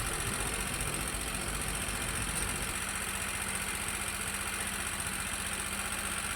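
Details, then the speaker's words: Motorcycle whose engine turned rough again three months after an earlier repair: quiet, uneven idle with a loose irregular rattle about three a second; suspected cam chain or its bearing, inspection found a cam chain tensioner issue. "Dan ini setelah berjalan 3 bulan motor suaranya kembali kasar lagi ya teman-teman ya. Kayak begitu suaranya."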